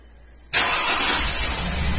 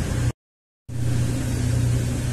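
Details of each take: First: 2003 Ford Windstar 3.8 V6 running rough with misfire codes, plugs changed earlier; cranks, catches and settles into rough uneven stumbling idle; scan tools point to cylinder 2 and cylinder 6; confirmed faulty ignition coil. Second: 2003 Ford Windstar 3.8 after replacing the faulty cylinder-six ignition coil and clearing codes: steady, even low idle hum with no stumbles; engine runs perfectly smooth, cylinder contribution test now shows cylinder six good.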